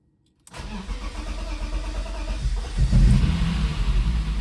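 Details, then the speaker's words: BMW convertible petrol engine after homemade injector cleaning and reinstallation: uneven cranking for two seconds without firing because fuel pressure hasn't reached the injectors yet, then catches and runs rough with idle hesitation. "Oops. Didn't get pressure all the way to the injectors yet."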